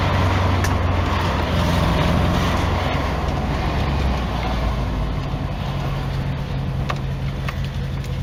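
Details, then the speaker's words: Nissan N13 Pulsar/Sunny CA18DE at a lumpy, uneven idle with a beat that drops out every few firings, sounding like three cylinders; a coil problem is later found. "so I'm not running quite right she sounds like it's running on three cylinders on three cylinders"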